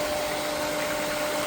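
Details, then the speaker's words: Main pool pump running during the test of a newly replaced (third) pressure-side pool cleaner booster pump, before the cleaner comes on: steady, even mid-pitched hum, no knocks or rattles, no leaks; normal pump running. "All right, so with the pool running, you can see I don't have any leaks."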